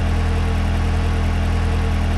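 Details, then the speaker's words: Engine that cranked but wouldn't run with P0132 and over ten codes, fixed by restoring a forgotten control module connector: smooth even idle at steady speed, no misses or knocks, codes cleared, running very well. "So now you can see and hear it running very well now"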